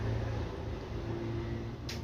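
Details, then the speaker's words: Gree 36000 BTU air conditioner after an E6 error, fixed by cleaning carbon deposits off the outdoor-to-indoor supply connection: low, even hum with no knocks, rattles or squeals; running normally. "Right, okay, work பண்ணுது, எந்த விதமான பிரச்சனையும் இல்லை."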